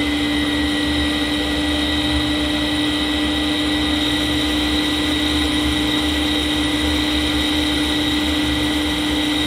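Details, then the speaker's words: Fujitsu M2294NU 14-inch Winchester hard disk from a Paintbox at speed, suspected bad bearing: loud steady hum with constant whine, no screech or scraping; sounds fine, ready light on. "Well, I hope you can hear me. It is fairly loud, but I'd say that sounds fine to me."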